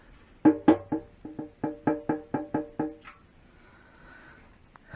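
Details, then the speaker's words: Triumph Bonneville restoration, new fuel tank: about ten hollow knocks in quick bursts as the tank is pressed down; the side of the tank is hitting the side of the frame, not something underneath, so front spacers won't fix it. "Initially I was going to make a couple of spacers just to raise the front up, because it sounds like it's hitting something underneath, but actually it's not. It is this side of the tank here hitting the side of the frame"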